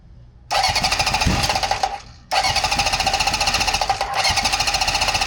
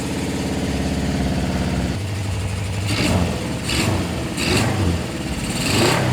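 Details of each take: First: 1974 Honda CB750 with new wiring harness, rebuilt carbs, new plugs and coils, on its first start attempt before carb adjustment: it catches, runs ragged, dies within two seconds, then refires into an uneven idle. Hard starting and rough idle from maladjusted carburetors. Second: 1974 Honda CB750 four-cylinder after carb adjustment, in neutral: even, steady idle rising into several clean revs and settling back with no misses; running beautifully, no fuel or oil leaking.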